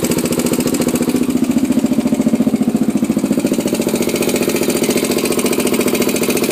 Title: 400ex ticking noise?